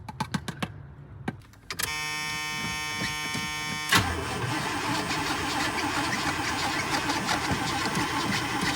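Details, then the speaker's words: Old hot rod, sat a while, on jump box with starting fluid sprayed in; strong, steady, fast cranking but never fires. Has fuel; owner notes fuel lines keep shrinking and pinching off. "Come on, honey. Well, it's cranking good. Do I have any brake clean in here? Nope."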